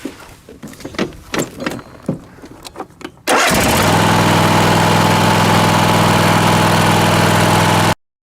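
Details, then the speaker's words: Lawnmower with a completely dead battery, jump-started with a 2000A portable jump starter: several quick cranking strokes, then it catches at once and settles into a steady, even idle with no hesitation. Normal cranking and start. "it just cranked it right over. So it has plenty of power for that, for sure."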